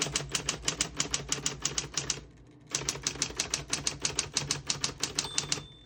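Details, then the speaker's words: 1960s Smith-Corona Coronet Electric 12 portable electric typewriter. Crisp, even keystrokes about three per second in two runs, then a short bright margin bell signalling the end of the margin. Normal typing with margin bell. "Once you hear the bell, you're at the end of the margin."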